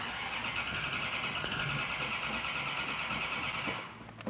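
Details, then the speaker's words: Car with an Air Grabber: starter churns steadily for nearly four seconds without catching while the dry carburetors fill with fuel; extended cranking. "but I I'm gonna have to uh I'm gonna have to crank it to bring the fuel up well give it time give it time"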